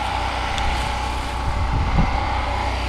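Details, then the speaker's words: Generator running normally on a cold day; owner says it started right up in about three pulls and had run about 10 minutes; steady, even engine drone with a faint constant tone on top, no misses or knocks. "I just want to run that I always like to run these things you know she started right up and about three poles"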